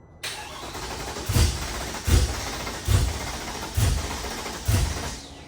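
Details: Mercedes C63 M156/M159 V8 cranks steadily with heavy puffs about every second but never starts, after the cam phasers were rebuilt and installed wrong; cam timing is off.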